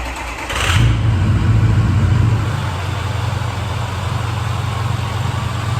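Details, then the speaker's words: Ford 6.0 diesel pickup started after oil and fuel filter change and key-cycle priming: cranks, fires quickly, flares briefly, then settles to a steady even low rumble with no misses or knocks; normal. "all right i've cycled this key a few times now so it should all be charged should i say should hopefully there's no issues we'll give it a try see if it'll start"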